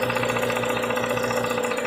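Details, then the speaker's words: VW Gol with CHT engine, valves already adjusted: fast, even metallic ticking up close over steady idle, located at the clutch shaft support; likely worn bushing with play rather than valves. "Saindo aqui ó o barulho é aqui ó nesse suporte da da embreagem tá vendo ó ó a gente acha que tá com batendo válvula o barulho é aqui ó no suporte da embreagem"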